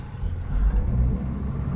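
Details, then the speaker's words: Toyota HJ75 Troopy with 2H turbo diesel, near 40 years old, after rebuild, previous knock gone: steady low diesel rumble while driving, even and free of knocks or odd noises; owner says engine runs smoother, normal running. "Even the engine sounds like it's just like running smoother. Yeah. Like it's not like... There's no weird noises coming from the car whatsoever."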